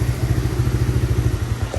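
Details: Kawasaki Mojave 110 single-cylinder with fresh gas, new fuel lines and filter, original plug, and oil overfilled out the vent hose. Freshly started, running off choke with a little throttle. Quick, even popping exhaust beat steady at low revs, no misses or knocks: normal running.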